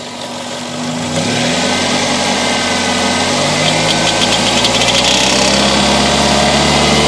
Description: This is my 2000 Toyota Corolla and it started making this ticking sound after the oxygen sensors and the engine coolant temperature sensors were replaced.